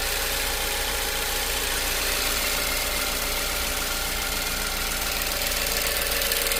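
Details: 2015 Ford Focus petrol engine idling with a quick, steady light metallic ticking over the hum; cause not stated.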